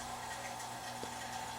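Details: AC vacuum pump evacuating a Chevy/GMC truck AC system (Silverado, Sierra, Tahoe or Suburban) after compressor work, pulling about 26–28 inches of mercury: quiet, steady motor hum with faint whine, no surging; pump running normally.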